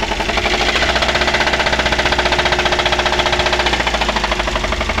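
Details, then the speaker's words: Daihatsu Gran Max engine, rough and down on power, being revved: fast heavy hammering knock keeping pace with revs, like the engine will break; connecting rod knock, gone after repair. "suaranya seperti itu ya teman-teman seperti ee mau pecah di bagian mesin ya"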